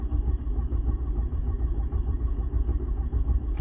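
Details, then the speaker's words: 1986 VW Jetta turbo diesel after sitting, cold, with a half-dead battery: fast, even cranking chug with no catch or firing; no power reaching the glow plugs. "yeah no glow plugs well that's probably why it won't start"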